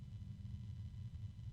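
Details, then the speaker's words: Barrow RGB Full Color 120mm fan (6-pin Dupont for PWM and ARGB, corner cushions) spun up from its lowest safe speed: low wavering bass hum under a soft air rush, the hum rising in pitch with speed; fan hum, possibly a cheap bearing. "it's got a low hum and then there's the medium noise of the wind and that low hum is persisting as is the wind of course that low hum is getting higher"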